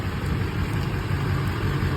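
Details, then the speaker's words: 2005 GMC 2500 HD diesel pickup idling after a Viper remote start, which runs it about 10 minutes. Steady low diesel rumble with an even beat, no knocking or rattling; healthy idle. "it's got remote start s it up it engine starts it for about a good 10 minutes"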